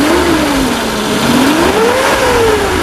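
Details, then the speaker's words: 2001 Suzuki Carry Futura Realvan 1.5 GRV, engine revved: pitch rises and falls smoothly with no knocks or rattles, still quiet and smooth when revved; engine dry with no leaks, sounds healthy. "Aman ya? Aman ya. Jadi kita geber pun suaranya dia masih tetap halus."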